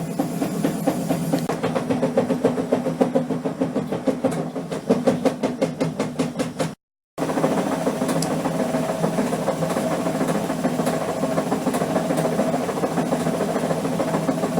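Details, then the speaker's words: Amica washing machine at its highest spin speed: rapid repeated thumps over a loud hum, and the machine jumps and is unstable. The left shock absorber has completely failed; at low spin speed nothing is wrong. "tak jak widać kilka bardzo hałasuje widać tendencję do niestabilności jest z nią nie tak powodem takiego zachowania jest uszkodzony amortyzator po lewej stronie"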